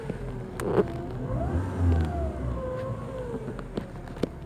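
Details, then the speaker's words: 2012 Chevrolet Prisma 1.4; engine revs up and settles with a faint thin chirp over the rise plus light clicks, also chirping while driving under acceleration: chirping noise when revving, cause not identified. "ele anda também na aceleração, ele faz esse piado, ó."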